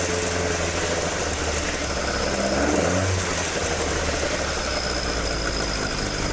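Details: Toyota AE86 with 4AG engine after exhaust leak repair, stock exhaust sound: steady deep idle rumble swelling cleanly with a light rev, no puffing or ticking; exhaust sealed and healthy.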